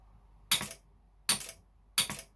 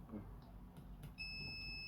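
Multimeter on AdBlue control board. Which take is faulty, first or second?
second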